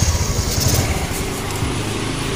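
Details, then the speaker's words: Honda Activa scooter (3G/4G/5G) at startup. The engine idles with uneven low thumping and a rough, lumpy note, much louder and harsher than normal. The abnormal noise's cause is suspected, not confirmed. "जैसे हमने आप start गिरी इस की आवाज में बहुत ज्यादा difference आ रहा है कुछ"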